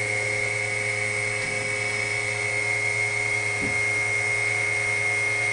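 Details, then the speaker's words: WWII RT-7/APN-1 radar altimeter running in lab, low 400 ft range, reading about 120-125 ft: constant high-pitched dynamotor whine at steady pitch with faint hum underneath, spinning smoothly. Normal dynamotor whine. "let's switch it on see what we have you hear a wind from the Dynam motor there went the current settle down"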